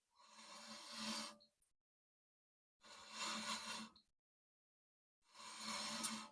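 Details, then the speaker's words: Nissan S15 rear wheel turned by hand with e-brake fully off: three slow scraping sweeps, each about a second; worn rear pad dragging tight on the rotor, e-brake cable adjustment suspected. "Yeah, that should not be that tight on the freaking rotor."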